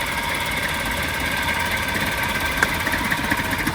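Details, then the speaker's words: Maruti Suzuki petrol car idling unevenly with a lumpy "chhu chhu" beat, irregular knocks and shudders felt at the rear, and a smell of unburned fuel: a misfire, fixed by replacing the faulty ignition part. "ऐसी छू छू छू छू छू छू आवाज आ रही थी। बदबू आ रही थी। बदबू क्या भाई जब फ्यूल अच्छे से बर्न ही नहीं होगा तो बदबू तो आएगी ही आएगी ना।"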